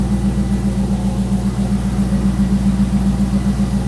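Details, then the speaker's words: 2001 C5 Corvette V8, first start after replacing the oil pressure sending unit, with oil pressure showing on both gauges and a squeal mentioned at startup: smooth, even low idle burble with no ticks or knocks. Normal idle. "It sounds like it's running pretty decently."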